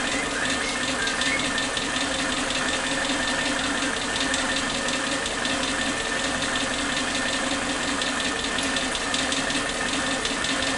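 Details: Suzuki Katana car with unstable idle rpm: uneven hunting idle with irregular popping stumbles, a misfire caused by worn spark plug wires. Replacing the wires stabilised it.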